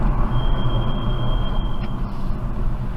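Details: BMW 428i convertible creeping at low speed: thin steady high-pitched squeal over rolling noise for over a second; brake squeal.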